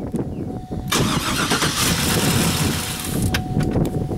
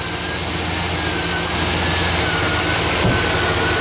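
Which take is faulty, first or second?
first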